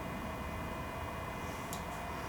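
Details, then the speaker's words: Genmitsu CNC on a wireless offline controller, jogging forward: a constant electrical hum with a steady high tone and no travel sounds; the stepper is energised but the axis doesn't move, though the couplers checked fine and the cause is unknown. "says it's jogging and I just took off my Seer Motors in the back and I checked the couplers and everything's good so I'm not really sure why I was hearing that noise and nothing was moving"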